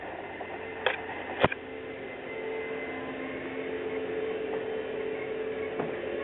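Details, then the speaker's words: Toyota Prius after shutdown: faint steady electric hum with light clicks as the pump circulates hot engine coolant into the thermally insulated coolant storage tank, normal operation. "that sound I want to explain it to you that was the sound of I think it's a 1.3 or a 3 liter I can't remember how big it is a thermal tank it's a thermally insulated coolant tank and it pumps a hot engine temperature coolant into it"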